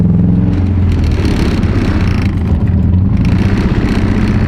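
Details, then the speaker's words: Subaru Forester, stock-motor build making roughly 700–800 hp, on a pull with oil light on: heavy clattering rumble, violent vibration; rod knock, owner thinks a connecting rod failed. "Oh, Dude, this is vibrating as fuck. How is your oil light on that long, but it's still running?"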